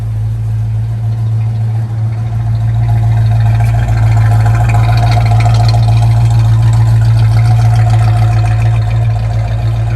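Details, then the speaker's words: Restored 1965 Ford Mustang with a 289 V8, C4 automatic and new GT dual exhaust, idling with a deep, even V8 burble and a steady lope, no knocks or misses: a healthy, normal idle. "all right this is the one we're paying attention to right now let's listen to the motor sounds great"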